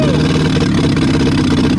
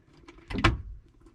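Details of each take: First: 1962 Hillman Minx revived after 40 years abandoned, now somewhat warm, run through its rev range: steady, fairly even drone with slight rises and dips; runs fairly well but needs carburetor work, and oil may not be reaching the top end. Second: 1962 Hillman Minx abandoned 40 years, start attempt: a faint tick then one sharp metallic click with no cranking; the starter is stuck or bad and the engine is believed locked up.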